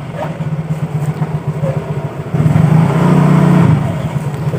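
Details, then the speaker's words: Mio GT scooter after repairing CVT trouble caused by imitation parts. It now pulls smoothly from idle with an even rising hum. The earlier judder ("deg deg deg") and lurch on slight throttle are gone, so the CVT take-off is normal. "Nah, ini enggak, udah normal. Oh, sudah enak, ditarik gasnya enak."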